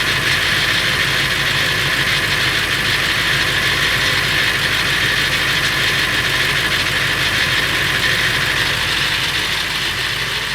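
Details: Late 1999 Ford F350, 7.3L Powerstroke diesel at idle: busy, uneven metallic rattle, roughly three beats a second; noise more pronounced under the truck; source unclear, owner wonders flexplate or engine.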